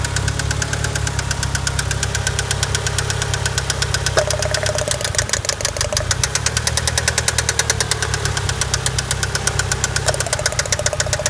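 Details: Mitsubishi Eclipse GST a couple of miles after an oil change: fast, steady metallic knock over the idle, keeping time with the crankshaft; rod knock, engine to be rebuilt.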